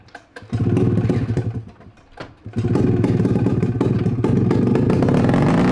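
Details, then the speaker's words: Free 670cc two-stroke Bombardier snowmobile engine from an early-90s Arctic Cat: runs hard, drops out abruptly, then catches and revs on; cuts out when exhaust is hooked up, kill switch not working, cause not yet found. "all right for some reason you hook up the exhaust miss cuts off"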